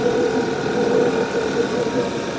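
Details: 2011 Audi A5 2.0 TFSI on its first cold start: steady vacuum-cleaner-like hissing air-flow rush with a faint hum over the idle; it happens only when cold, with no noise when driven hard to 140 km/h; cause unknown.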